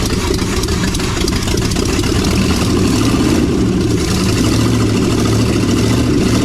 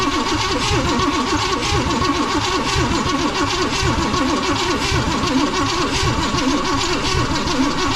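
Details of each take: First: 1956 Chevy 3100 half-ton barn find with long-stored 396 big block, first run after revival with throttle assist: deep steady V8 idle with even lumpy beat, no knocks or misses; running healthy. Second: 1956 Chevy 3100 barn find with a 396 big-block V8, cranking on a jumped battery feed: steady rhythmic churn with only faint pops, never starting; the distributor cap and rotor are to be checked.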